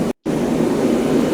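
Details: Cheap torpedo heater after its pump pressure was turned down by about 2 PSI to roughly 6: steady even roar of fan and burner with no surging, popping or sputter; the flame is right and it runs properly.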